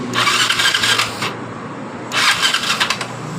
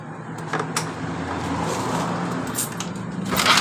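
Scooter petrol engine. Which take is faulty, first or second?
first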